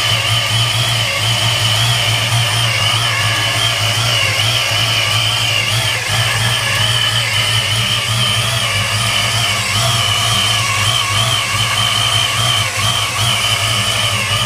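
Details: 1993 Mustang Cobra V8 at idle with a just-installed used Vortech V1 S-trim supercharger: high wavering whine with a rough, gritty edge; owner suspects bad supercharger bearings, not confirmed.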